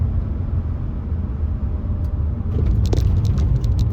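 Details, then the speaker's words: Audi A4 2.0T, K04 turbo, stage 3 tune, warm, after Eldor coils and NGK BKR8EIX plugs gapped 0.025 in: steady deep rumble under load, no stumbles; earlier P0300-P0304 misfire under boost gone. "Okay, we warmed up. Yep, good to go. Oh, yeah. Much better."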